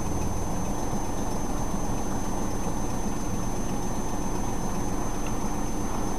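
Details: 1994 Chrysler LHS 3.5L petrol V6 with the catalytic converters opened up, so the exhaust sounds louder: low, lumpy uneven idle; it idles fine, then rpm drops and it nearly dies. Sensors checked; PCM, plugs and wires changed; suspects are timing, the flex plate, or the catalytic converters.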